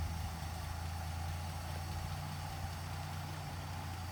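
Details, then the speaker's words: 1959 Plymouth Suburban wagon with 75,000 original miles, long-stored barn find, idling after its first start before being driven out. Low, steady burble at idle with an even beat and no knocks or misses; normal idle. "that's so quiet i can't hear it run"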